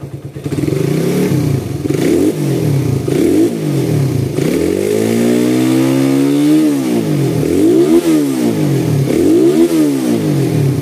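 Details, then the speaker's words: Suzuki Satria FU after service, fitted with PE carburettor, BRT CDI and a Thai silencer. Revs rise and fall smoothly in repeated blips, the tone climbing and dropping cleanly with no knocking or rattle; engine smooth, exhaust not noisy, good pull. "Bunyi mesinnya enak, halus. Bunyi knalpot nggak berisik, tapi tarikannya enak."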